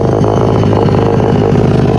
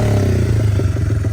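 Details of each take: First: 1978 Honda XR75, first run after sitting since the late 1990s, before carb tuning: loud, buzzy single-cylinder rasp, uneven at idle, pulsing on throttle blips; runs rough through a noisy, raspy exhaust. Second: 1978 Honda XR75, not run since the late '90s, after carb tuning with replaced exhaust and air filter; small single thumps at a steady, even idle with a clean exhaust note, no knocks or misses, healthy running.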